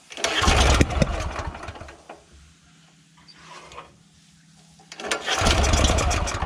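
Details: Honda GX340 petrol engine on an auger, after throttle linkage adjustment: catches with a rough burst, dies within a second, fires again briefly; won't pull-start, spark plug carboned up; hard starting and stalling.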